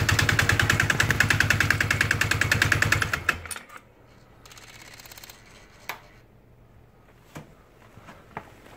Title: Polaris Sportsman X2 EFI 2007, knocking sound when cold (-12C)